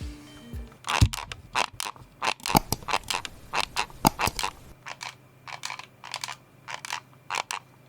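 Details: Logitech G305 mouse shell squeezed at the sides: irregular bursts of dry crackling and crunching, about forty a minute, from a creaking, loose-fitting plastic body showing poor build quality.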